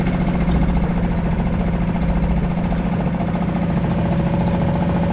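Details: Suzuki 2.5 HP DF four-stroke single-cylinder outboard in a water bucket, oil hovering at lower sight-glass mark, dirty exhaust water from excess oil and gas in cylinder: steady, even putter of about 214 beats a minute; idles smoothly, healthy.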